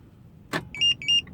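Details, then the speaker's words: Compustar 2W705-SH remote starter and alarm on a car: a lock actuator clunks, then two short, bright chirps about a quarter second apart confirm the remote lock or unlock command was received. "See those beep, when it beeps, it's telling you, it's coming back to you saying, hey, okay, now your car is locked."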